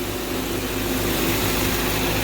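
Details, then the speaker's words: Mercedes ML500 5-liter V8 restarted after a bad belt tensioner let the belt walk off and break: even, steady low idle rumble with no knocks, slaps or squeals, belt running true; air compressor noise and possibly low power steering noted. "we go started right up Belt seems to be running pretty true I can hear air compressors making some noise and it sounds like it might be a little bit low on power steering"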